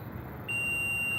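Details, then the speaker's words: Multimeter in continuity mode on a popping, noisy microwave's high-voltage diode: a steady high-pitched beep in both probe directions, showing the diode is shorted. "ele tem que dar continuidade de um lado e do outro invertendo as ponteiras ele não pode dar continuidade Olá neste caso aqui ó nós vemos que ele tá dando continuidade nos dois sentidos isso aqui ó é curto no diodo entendeu"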